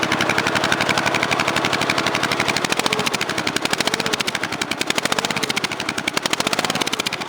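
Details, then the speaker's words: Cub Cadet 3050 4WD after welding the middle piece nearly solid inside the muffler, throttle held at fast idle with vise grips: sharp, rapid, crackly exhaust pulses, louder from the other side. A leak or failed weld in the muffler is suspected, not confirmed. "Now this is the other side. This is a little louder. But from up here, it sounds all right. It sounds pretty good."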